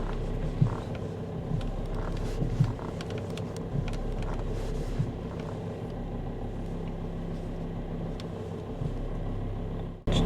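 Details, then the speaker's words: After adding a power steering additive, then driving about 15–20 km back to the garage: steady idle rumble with light creaks, no power steering pump whine even at full steering lock; whine previously persisted despite fluid changes. "но вот друзья доехал я до гаража никакого гол и вообще он пропал если даже вот руль закручивать до конца"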